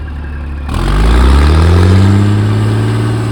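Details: Caterpillar 3406E diesel from a D350E Series 2 haul truck, 18,676 hours, test run on shop floor: fires after a short pause and smoothly picks up revs with a steady deep drone; good oil pressure, no bad blow-by, leaking oil at rear.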